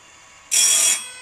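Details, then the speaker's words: Woodland Mills RS30 Pro sawmill blade sharpener, grinder head eased onto the tooth in small screw increments: brief, even high-pitched hiss of about half a second with no chatter; normal sharpening grind. "Okay, that sounded pretty good. So, now we're going to lower the head that goes down to the bottom."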